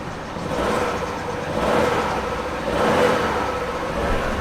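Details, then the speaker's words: Vauxhall Astra saved from scrapyard, after only O2 sensor replaced (engine light still on): smooth hum rising and falling with gentle throttle blips, slight belt squeal, no misfire or knock; engine now running sweetly and much quieter, owner unsure why. "I'm actually really confused as to why the engine sounds like it's running really good now"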